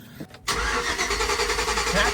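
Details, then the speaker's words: 2006 Chevy Tahoe 5.3 LS cranking, with testing confirming no power across the ignition coil connector. A short click, then an even, fast cranking whirr that never catches: crank no-start from a missing coil supply. "okay so obviously you saw that we tested uh to see if we actually had power to our coils which we did not"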